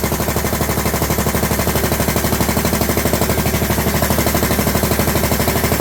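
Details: John Deere LT150 with swapped-in 15 HP Kohler engine, no choke, after fuel pump primed: loud sharp evenly spaced popping about three beats a second; exhaust leak at overlong exhaust studs, later redone and quiet.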